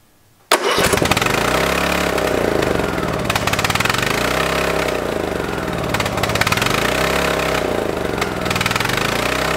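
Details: Free lawn tractor gas engine, first start after repair on fresh non-ethanol high-octane fuel: extremely loud, surging up and down, won't idle down, raspy exhaust suggesting a bad exhaust manifold leak; cause unconfirmed, possibly burning off old fuel.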